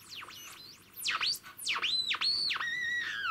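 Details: 1976 Codar Mini-Clipper TRF regenerative receiver kit (one FET, two transistors, Class A output) on top band with regeneration increased: swooping whistles rising and falling in pitch over quiet background; set seemingly breaking into oscillation, suspected, not confirmed.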